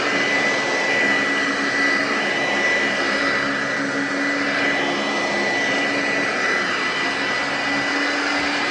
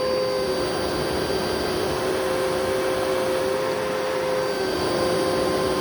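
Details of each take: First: Eureka upright vacuum on carpet, loud: steady, even high motor whine with no rattles or speed wobble, then winds down; runs well, though it smells bad; normal running. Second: Eureka vacuum with self-cleaning duster, running: steady high whine with a coarse, gritty roar underneath; motor runs rough and probably needs a refurbishment.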